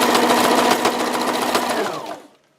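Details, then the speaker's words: Sewing machine on wide zigzag with fast even ticking knock each stitch and braking; cause a burr on the needle plate's underside ribs catching the thread, silent with plate removed. "так вот тарахтит цепляет что-то цепляет не понятно"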